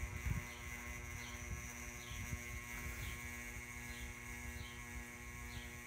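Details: Ceiling fan makes a loud buzzing noise: a steady low electrical hum with a faint higher whir and soft repeating ticks as it turns. The owner assumes the cause is electrical, but this is not confirmed.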